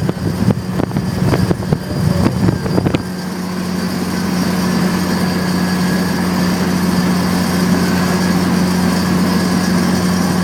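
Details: Right after a one-piece aluminum driveshaft was installed, at cruise: a loud, steady low droning hum with a rough rushing layer beneath it. The owner asks whether this is normal or the U-joints need grease.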